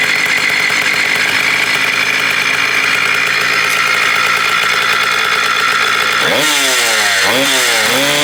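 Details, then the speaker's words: 1987 Kawasaki KDX80 two-stroke on fresh premix, during restoration of a non-running bike: high buzzy steady note, then quick revs up and down near the end; runs but won't settle to a clean idle, which the owner says most don't. "oh most of them don't idle right"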